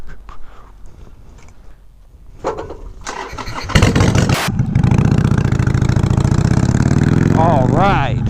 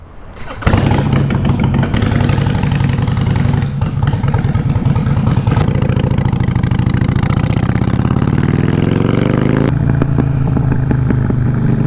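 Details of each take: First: 2007 Harley-Davidson Sportster 883 Low, first start after fitting LAF drag pipes exhaust. Starter whirs, then the V-twin barks into a loud, deep, loping idle with blips. Healthy but obnoxiously loud; owner may add universal baffles. Normal startup. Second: 2007 Harley-Davidson Sportster 883 Low V-twin with newly fitted LAF drag pipes: fires into a loping idle, revs rise and fall, and sharp pops crackle from the pipes like shooting flames; exhaust popping.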